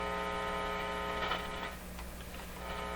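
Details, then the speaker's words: Canadian General Electric C701 console stereo, warmed up, ear at the speaker while varying volume: steady low buzzy hum that never changes; mains hum, source not pinned down, open cartridge or disconnected cable suspected. "see if we can hear any hum at all stick my ear in the speaker here"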